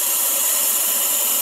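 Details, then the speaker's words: Keystone Cougar RV built-in No Fuss Flush black tank flusher tested after repair, nozzle remounted with Teflon tape and marine silicone: steady even hiss of water spraying into the tank, no sputter, working normally. "sounds like it yeah can hear it flushing down there"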